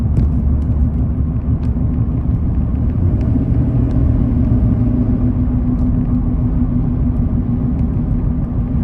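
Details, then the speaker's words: 2011 Chevrolet Silverado while driving: constant low roar or whirring at cruise, suspected front hub and wheel bearing assembly, to be replaced. "It's just kind of a constant roaring sound. And I'll take you guys out for a drive here so you can hear it."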